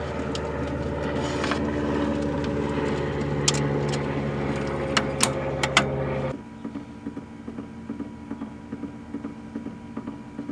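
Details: 1963 Nordmende Caruso German console radio-phonograph turntable during repair diagnosis; motor hum with a soft repeating thump in the drive as the platter turns, then it drops away: idler wheel thump.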